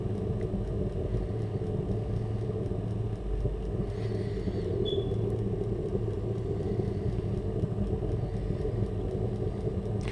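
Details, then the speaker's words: Burner with evaporator and glow plug, oxygen sensor removed during start: fuel pump audible, then even, low roar holding steady with no popping or surging; normal burner flame burning off leftover fuel. "You can now hear the fuel pump. And you can hear the flame as well."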